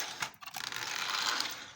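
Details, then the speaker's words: Repaired Marx Union Pacific E7 model locomotive running on track at low speed: a few light clicks, then a smooth, even high-pitched gear whir with slight normal gear mesh noise, no binding, grinding or stutter. "you can hear a little bit of uh gear noise which is prototypical for these engines uh as the gears meshed together but it's not a real live ground"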